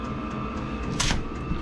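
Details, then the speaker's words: Vevor diesel heater installed in a cabin mechanical room with solar power, running at full output: steady, even fan hum with a faint constant whine and one brief puff, pushing out heat; normal running. "It's really pushing out now. Pushing out the heat."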